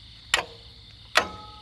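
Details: Power King tractor after custom rewire with aviation-style toggle switches, engine off: two sharp metallic clicks less than a second apart as the PTO switch is flipped; PTO clutch engaging properly.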